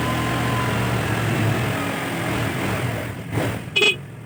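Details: Carbureted Honda Vario scooter with weak battery, idling about 2 minutes to charge the battery; even idle hum with smooth low beat, no misses, rattles or knocks, normal.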